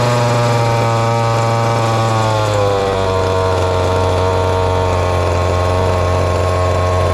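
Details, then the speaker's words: Ported little 2375 chainsaw with carb and ignition-timing mods, running methanol: screaming two-stroke buzz that sags in pitch, then holds flat and thin at full throttle. Lean because the carb can't feed enough fuel; it needs drilling out. "we've tuned on it to get it as rich as i would want it's gonna have to be drilled out somewhere"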